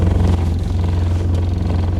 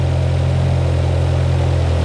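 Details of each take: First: 1972 Toyota Celica with overhauled Mikuni 40PHH carburetors (new throttle shafts and butterflies), cold day: steady even idle around 800 rpm, a little low but smooth with no misses or knocks; normal idle, timing may need adjusting. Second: 1972 Toyota Celica with overhauled Mikuni 40PHH carburetors, new throttle shafts and butterflies: idle holds fast and steady then sags lower; idle now adjustable but still hangs high before dropping.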